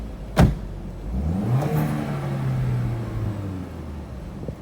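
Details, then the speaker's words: Cheap Audi TT Quattro, 130,000 miles, no history, power steering failing and dripping: after a door thud, engine revved with a blip, pitch rising cleanly and falling smoothly, no knock or rattle; engine sounds healthy. "It's done 130,000 miles. There's no history with it, but it sounds good."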